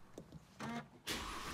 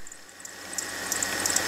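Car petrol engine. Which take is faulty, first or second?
second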